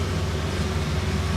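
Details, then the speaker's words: Dually pace truck after swapping back to the older throttle body gasket and reconnecting injectors: low, steady rumble with even pulse, no stumble or misfire; fuel spray more consistent, excess fuel issue considered solved. "oh yeah that that fuel spray is definitely a lot more consistent"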